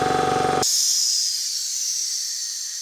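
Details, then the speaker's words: Ingersoll Rand 5HP 2-stage 80-gal air compressor: pump chugs then stops and unloader valve vents a strong steady hiss that fades; viewers thought unloader failed, but it works; pump turns easily by hand; normal. "That sound you hear is what is called the unloader valve. Several of you commented that the unloader valve wasn't working. It is working. You can hear the air releasing."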